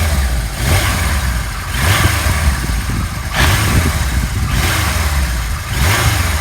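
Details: 1977 Kawasaki KZ1000A four-cylinder, 27,004 miles, new clutch cable and tyres, revved from a settled idle; clean blips every second and a half rising and falling smoothly without misses or popping. Runs healthy.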